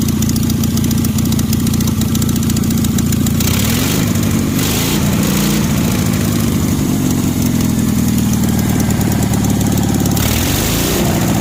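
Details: 1965 Cushman Truckster with an 18 HP OMC engine, after a cylinder jug swap, new spark plugs and carburetor tuning, started on choke: steady, even idle with a low constant hum and no misses, knocks or hunting.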